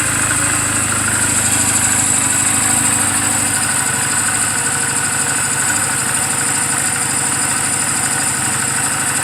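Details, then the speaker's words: 2007 Honda Rebel 250 idling after the owner's own valve clearance adjustment, offered as a reference for others checking theirs; even, steady idle throb, no ticking or misses. Normal idle. "after I did a valve clearance I was wondering if I had done it rights I wanted to compare that what my motorcycle sounded like compared to other people's motorcycle"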